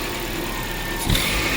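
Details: Car with hard starting and no fault codes, fuel pressure checked with a gauge: engine noise rises abruptly about a second in as it catches, then settles to a steady run; cause unknown.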